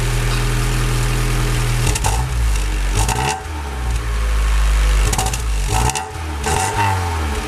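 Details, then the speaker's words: Honda Civic EJ9 start-up after final optimizations, checking whether the sound changed; catches and settles into an even steady idle with a few clean throttle blips, nothing knocking or rattling; normal start and idle. "ça a l'air pas mal du tout"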